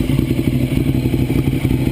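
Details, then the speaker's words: 2009 Ducati 848 after repairing a disconnected fuel pump hose with new clamps, held at raised RPM to check for leaks. Loud, lumpy twin-cylinder beat, steady with no misses or stumbles; normal running. "let's get some RPMs going so I'm just going to let this run for I don't know 10 15 minutes"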